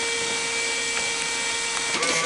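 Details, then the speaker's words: American Changer 24 V control board on bench test, first power-up on 110 V with validator, hopper and sold-out light plugged in: steady high electronic whine, faint clicks, short chirp near end; board powers up normally. "it sounds good. We have, alright, it sounds real good."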